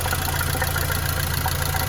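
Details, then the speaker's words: Mercedes-Benz W212 M271 at idle, oil level full: light rapid tick from the top end keeping pace with engine speed, hydraulic lifters knocking again; owner suspects antifreeze entering oil (foam, greenish tint under cap), considers replacing lifters or changing oil. "Они снова начали стучать. Вот так, по сути, они и гремят. Что касается масла, уровень масла полный. Слышен стук где-то сверху."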